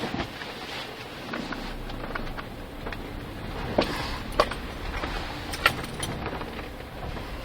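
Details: Volkswagen Polo sedan driving on the road: a few sharp, irregular clunks on bumps over steady road rumble; suspension knock.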